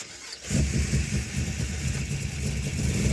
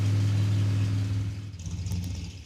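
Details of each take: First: '56 Chevy with 500-hp small block, vacuum advance, after replacing failed ignition boxes: catches, climbs smoothly to a high rev, holds and eases down with no misses or hesitation; normal running. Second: '56 Chevy with 500-hp small block on a cold drag strip, 3,000 rpm launch: deep V8 rumble pulls strongly then bogs and dies within seconds; ignition shutting off mid-run, cause unknown.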